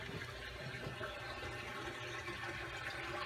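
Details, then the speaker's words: Reef aquarium with a Jebao DCT 15,000 return pump giving about 1,170 gallons per hour: continuous gurgling rush down the emergency drain, as the full-siphon drains are wide open yet too small for the flow. "there is so much flow that I still have this much more than going through the emergency drains were both sides"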